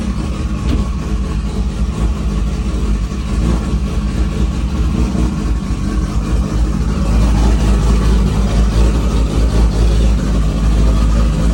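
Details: 2JZ engine after head reinstall, repairing two bent valves from a failed timing belt tensioner: starts right up with a steady, even low rumble and no knocks or ticks; normal, healthy idle.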